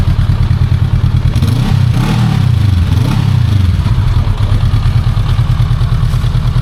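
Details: New Honda CL500 twin: engine catches, gives a short blip, then settles into an even low rumble with no knocks or ticks; normal startup and idle.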